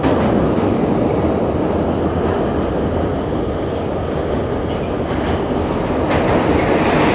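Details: Kyiv Metro car No. 10327, type 81-717.5, on the Sviatoshynsko-Brovarska line: a steady, fairly quick repeating thump over loud rail roar that tracks train speed, from a flat spot on a wheel.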